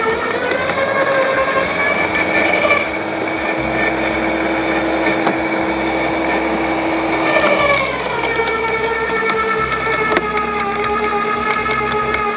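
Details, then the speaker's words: LawnMaster 2800W quiet electric garden shredder, blade-to-plate gap set: steady whine with crackly chewing, pitch dipping under load then recovering as thin branches self-feed without the plunger; cutting cleanly, normal shredding. "as you can see there it just it was just self-feeding the branches in I thought I was going to have to use the plunger to plunge them down but it didn't it just self-fed and he's cut them up really nice"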